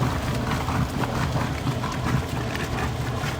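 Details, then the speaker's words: Maytag Performance washer after replacing the water pump that had bad bearings and grinding: steady low hum with water swishing, no grinding or rattle; new pump running smoothly, normal operation. "so after i replace it as you can see there's a significant uh difference between the previous one and after replaced with the new uh water"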